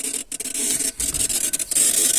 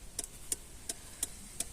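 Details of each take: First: VW Passat B3 turn signal stalk: dry, irregular crackling and scratching when switched on, normal one way but not the other, caused by poor internal contact. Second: VW Passat B3 with ignition on, after repairing the turn-signal stalk switch whose poor contact caused crackling: crisp, even clicks about three per second with no crackle.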